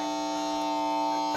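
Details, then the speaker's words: PlayStation 3 played through TV speakers gives a steady, fixed-pitch electrical buzzing hum along with a glitching screen; a long-standing problem bad enough to spoil Netflix viewing; cause unknown. "it's making that noise it's had this problem for a while and I managed to just get around it but it's it's too much I can't even watch WWE Network or Netflix on here because of that noise"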